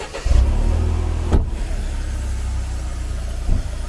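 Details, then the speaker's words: Mercedes SLK230 Kompressor at start: engine fires and settles into a deep, steady low rumble with a brief thump; engine runs well and is dry, owner hears a small rattle attributed to the supercharger, put down to mileage. "Oni ty kompresory dělají někdy zvuky blbý, no."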